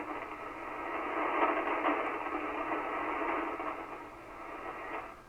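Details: Kenwood TS-520 transceiver after power cord replacement, receiving on 75 meters; steady, even hiss across the voice range with faint static crackles, receiver working normally pulling in band noise.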